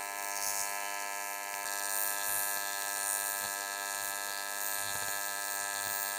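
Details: YesWelder CT2050 AC TIG welding aluminum, amperage via foot pedal, tungsten size unchanged, after dialing in settings that had run too hot: steady even buzz at one pitch, no crackling, popping or sputtering. Stable, properly set AC arc.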